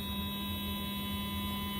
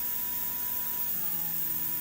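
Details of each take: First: Athearn Genesis MP15 model locomotive with Mashima motor: steady, even hum with no grinding or rattle; definitely quieter now, doesn't stall, current stays below 1 A. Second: Athearn Genesis MP15 model locomotive motor, voltage raised toward 12 V drawing about 0.06 A, before running in: thin whine sliding up in pitch and getting noticeably loud, an excessively noisy small motor.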